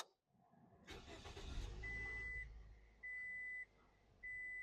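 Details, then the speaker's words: 2005 Scion xB at startup after an adjustable tensioning rod replaced the alternator bracket and the belt was tightened by hand: cranks, catches and idles quietly under chimes, with the AC compressor cycling on and off; no belt squeal, where it squealed before. "yep I heard the compressor kick on and off NOP no squeal"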